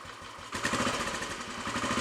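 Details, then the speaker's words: Royal Enfield Bullet 500 single after head gasket replacement, exhaust blow at head fixed, baffle removed and carb needle raised, on choke: brief crank then even, booming thump at idle, steady beat, no knocks; normal single-cylinder idle. "certainly a little bit more of a Boom coming out of the exhaust now than it was yesterday all sounds pretty happy with life both from exhaust and mechanically"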